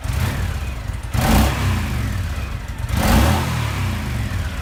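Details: Honda VTX1300 V-twin, sat nearly a decade, after draining bad fuel and cleaning carburetor, tank and fuel lines: catches into a rough idle, then two quick throttle blips rise and fall cleanly; normal start and rev.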